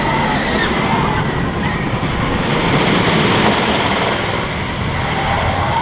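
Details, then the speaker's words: Wooden roller coaster in operation: train rumbles steadily across the timber with continuous creak and groan as the wood works and flexes; normal, structure perfectly solid. "entend le bois qui travaillent qui bouge et ça contribue aux sensations en donnant l'impression d'une structure fragile qui va se casser"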